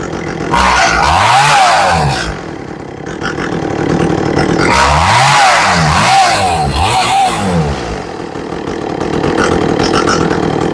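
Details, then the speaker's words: Echo CS400 chainsaw during carburetor tuning, high-speed screw adjusted: repeated full-throttle runs, about four a minute, climbing and dropping evenly; owner likes the sound. "okay I like the way that sounds"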